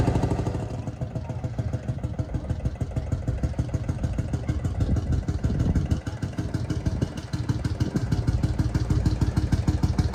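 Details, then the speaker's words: Field Marshall Series 3A single-cylinder diesel on its first start after a rebore and oversize piston, fitted after a piston ring snapped, likely from bore pitting. Even, slow thumping beat with no knock or misfire; normal running, better than before. "so it sounds better than it was"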